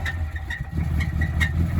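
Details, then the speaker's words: 2010 Ram Sport at 183,000 km that needs an engine, described as having serious knocking. A rough-idling engine with a sharp, regular rap over the exhaust beat, pointing to a knock deep in the engine; the cause is not confirmed. "You just got to floor it. It's got some serious knocking going on."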